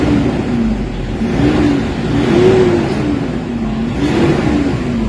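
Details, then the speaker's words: Toyota Hilux D40 diesel, previously low power, throttle delay and turbo actuator issue, after XADO engine treatment: revs climb and fall cleanly with each pedal blip, no hesitation; much improved. "Yung galit niya, marinig mo talaga, ibang iba na kaysa kanina."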